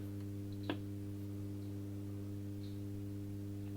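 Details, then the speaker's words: Hallicrafters S-20R tube receiver first powered on limited voltage via bulb limiter: steady low mains hum with buzzy overtones and faint static; filter capacitors shot, causing hum. "Yeah, these filter caps are shot. Most likely they're all bad. That's why we still have hum, but I can hear some static here."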